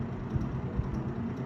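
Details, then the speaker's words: 1969 GE W25 three-speed box fan starting on low: low hum with a loose, uneven rattle about every half second and a slight shimmy at startup, a noise it has always made; owner suspects the blade set, replacement unobtainable. "So as you may have seen, it still has a little bit of a shimmy to it when it starts. It always has. That rattling noise you hear, it's always made."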